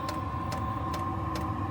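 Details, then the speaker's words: Chinese 12 V diesel heater running on kerosene, outside a caravan, lit and running hard, heard from the exhaust: steady roar with a faint tone and a light tick about twice a second; normal, even combustion. "You can now hear it coming out of the exhaust down there. And now it's going like the clappers."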